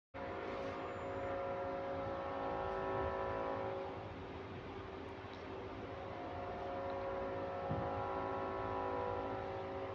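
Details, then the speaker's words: GAL EBD29 bus on route: steady mid-pitched droning whine, like a compressor or generator, swelling and fading in a slow loop over low engine rumble; source unknown, not heard on other similar buses. "it's this weird noise bro it sounds like a compressor or some type of generator it keeps fading in volume and then increasing back random"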